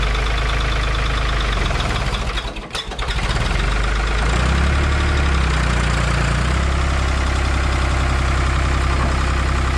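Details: 1985 Ford 545A 3-cylinder diesel tractor loader backhoe, first cold start after rebuilt injector pump installed and bled: catches after a brief stumble, settles into steady even idle with deep regular beat, no knocking; hydraulic pump really slow.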